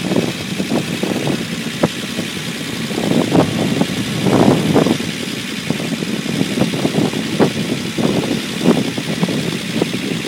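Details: Unimog 404 first start-up after rebuild with new fuse boards and a rewire: even idle with steady, regular firing pulses and no knocks, misses or rattles; normal idle.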